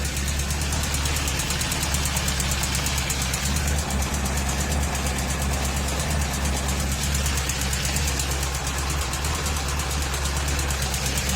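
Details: 2004 Honda CBR1000RR inline-four, warm, below 3000 rpm: steady fast-ticking idle with faint light rattle; engine noise when hot, owner suspects manifold gasket, valves or con rod, unconfirmed.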